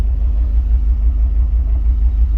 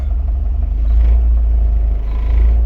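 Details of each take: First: Jeep Wrangler petrol engine at idle: a bi-directional scan tool cuts fuel to one injector, giving a low, uneven, lumpy rumble from a single-cylinder misfire. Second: Jeep Wrangler petrol engine at idle with a deep, steady, even rumble during bi-directional scan tool tests.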